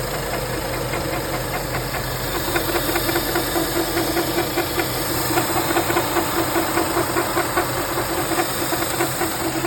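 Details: BMW F10 535i petrol engine at idle: a rapid, fairly regular knock rides over the steady engine hum. The owner asks for the cause.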